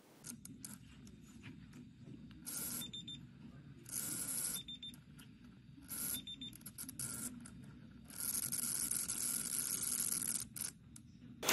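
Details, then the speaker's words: High-voltage cable from a 2021 Citroën e-Jumpy IV (fault P0AA6 09, no READY mode), disconnected and powered by an insulation tester: sharp hissing crackle of arcing through failed insulation; replacing cable fixed it. "And you can actually hear that cable fail. You can hear the arcing of the short circuit when removing that cable."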